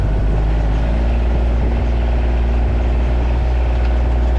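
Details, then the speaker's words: 2011 or 2012 John Deere Gator XUV 855d diesel driving after new motor mounts and foam added to the clutch housing to stop the clutch rattle. Deep, even drone with no clunks or rattles over bumps; runs quiet and smooth. "I'm gonna take this thing for a little bit of a test drive now oh yeah it's nice and quiet 's like brand new"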